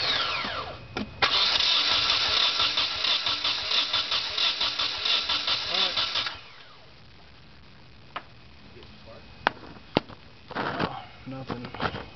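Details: Nissan KA24DE engine: starter cranks steadily for about five seconds at an even beat but the engine never catches; spark appears whenever the distributor is turned around — crank, no start.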